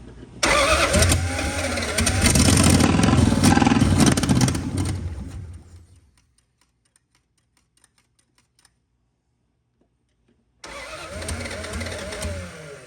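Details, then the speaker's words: Dodge Dart project car with brand-new fuel pump, sending unit and lines: starter churns steadily about four beats a second, stops, retries with no catch; glass sight shows little fuel, owner suspects fuel system or pump; cranks but will not start. "Sure hope that fuel system or pump's not bad for some reason. Doesn't feel like there's any in the system or in the filter either."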